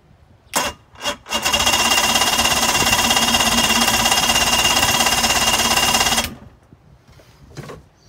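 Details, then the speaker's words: 2005 Mercury 115 two-stroke outboard on a Mako, cold, with oil added to the cylinders, bulb pumped and a little throttle: steady starter cranking about five seconds, never fires. Owner guesses bad fuel and plans to clean or flush the carburetors. "Okay, so it doesn't seem to like the fuel that's in there, I'm guessing. So we're probably going to have to pull the carburetors and clean them, or at least flush them."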